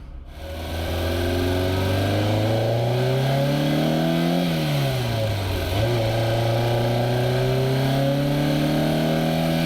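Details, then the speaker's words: Warmed-up Ferrari 308 with carbs, heard through multiple positioned microphones; the revving engine carries a thin high whistle over the exhaust note, traced to the exhaust itself, which is due for a rebuild. "place the microphones in a few different places and it really seems like it's coming out of the exhaust itself"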